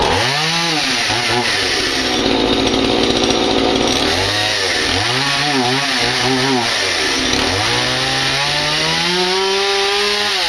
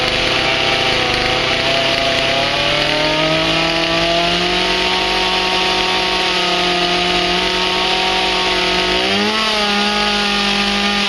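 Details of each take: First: Stihl MS180 chainsaw after carb diaphragm rebuild and new spark plug, started cold on full choke: revs scream up and sag back unevenly, stumbling instead of picking up cleanly; hesitation on acceleration when cold. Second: Stihl MS180 chainsaw reassembled after a strip-down to fix oil flow. Steady high-pitched run, pitch creeping up then settling on an even note; it runs smoothly and is oiling again.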